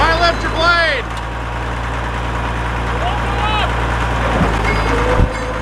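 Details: Caterpillar D7F dozer at its first start in 10 years, starting within 3 seconds: a deep, steady diesel rumble settling into an even idle with no misses or knocks. It is running healthy.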